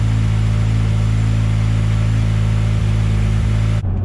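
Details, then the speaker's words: Fully built Mazdaspeed 6 with Precision Gen2 6062 turbo, port injection, first drive: uneven low rattling chatter over engine drone, sounds like valve train but stops with clutch pushed in; clutch chatter. "Very clutch chattery. Definitely clutch chattery. It almost sounds like valve train noise, but it's actually clutch. Because once you push the clutch in, it's fine."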